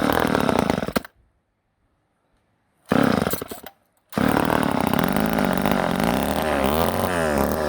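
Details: Old Ohlsson & Rice two-stroke chainsaw, sat 20+ years, after blowing out a blockage restored fuel: fires, blips and settles into a steady buzzy idle without stalling; running normally.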